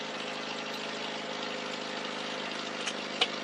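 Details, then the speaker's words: Carbureted car just started after sitting, choke still partly on: steady idle with fast, sharp ticking puffs over the hum from an exhaust leak just below the manifold. "Once the starts, the fuel pump takes over, and you can hear I still got that exhaust leak by just below the manifold."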